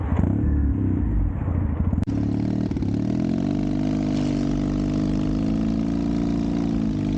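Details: Custom Triumph Bonneville T100 with Down & Out drag pipes, after stage 1 torque kit and stage 4 ECU remap: deep even grumble steady on light throttle, no overrun pops or crackles; healthy exhaust note, backfire fixed.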